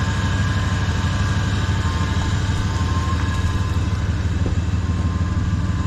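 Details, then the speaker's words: 1994 Chevy truck idling: faint steady whine over low idle from a pulley up front; owner suspects power steering, unsure whether belt or fan; fan blade was bent and hitting previously; thermostat believed stuck, steam leak noted. "Little whining. Is it a belt or a fan? It sounds like a pulley or something up here that's whining. I think it's the power steering."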